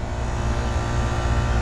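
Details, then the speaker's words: McQuay water-source heat pump on R-22 in cooling mode, after contactor replacement; it earlier tripped on high pressure over 300 psi. A smooth, steady compressor hum with no knocks or squeals, at 58 psi back and 189 psi head. "let's go ahead and put the thermostat on cooling we're in the summer time right now everything's running got a 58 pound back 189 pound head this is refrigerant 22."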